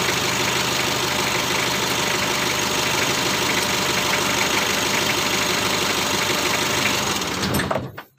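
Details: Mitsubishi L300 diesel at idle after adjusting injection pump (Bosch pump) timing to cure white exhaust smoke from incomplete combustion; white smoke gone, no ticking ("ngetik") noise, steady even diesel clatter with no sharp knocking — normal idle.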